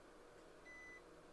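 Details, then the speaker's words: Multimeter continuity test: thin, steady high beep of about a third of a second over quiet room hiss, confirming a connection. "so if you can hear if you can hear the beep that means that we're connecting"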